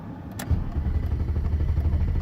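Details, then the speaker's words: BMW E32 7 Series with M30 six-cylinder that stalled right after parking; steady rapid starter cranking with no firing, crank no start, with a failed crank sensor suggested as the cause. "Okay, the car just stopped. I just drove into the parking spot and the car just stopped. Let's see what happens when I turn on the ignition and try to crank the car."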